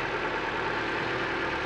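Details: 2003 Nissan Micra without AC, after replacing the auxiliary belts: smooth even idle with no squeal or chirp over the engine hum; normal idle.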